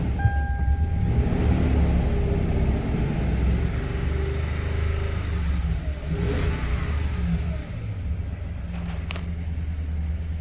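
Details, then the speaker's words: Toyota with P1604 startability code, restarted after intake cleaning flooded it with cleaner: engine catches and runs unevenly, drone wavering and stumbling, check engine light flashing; rough running from cleaner flooding. "And like I said, yes, you are going to flood this thing out on cleaner. So when we go to restart it, it's going to struggle a little bit."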